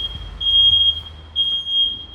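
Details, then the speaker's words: Smoke detector set off in a smoke test, heard from the shop door about 20 metres away: loud piercing high beep, about a second on with a short gap, repeating; it has sounded for a minute without shutting off automatically. "20 metre uzaktan sesi duyuyorsunuz yani 20 metre uzaktan dükkanın kapısındayım dükkanın kapısından nasıl ses geliyor halen ötmeye devam"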